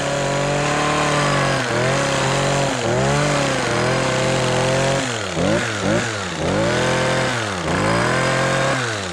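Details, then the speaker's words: Stihl KM56RC kombi unit after repairing a failure that came with a pop (parts listed: high-torque flex shaft), warmed up and test cutting. A strong, steady buzz dips and recovers under load; normal running. "All right, she's cutting. So, I think we're back in business."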